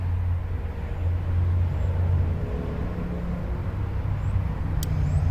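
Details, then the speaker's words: 2006 BMW 530xi 3.0L AWD, air suspension unfixed for two months, code 5F97 EHC compressor relay; compressor switched on via scan tool compressor relay test, steady even low hum without surging or cutting out; normal operation, now fixed. "let's see can we just turn the compressor on let's see special functions check compressor relay"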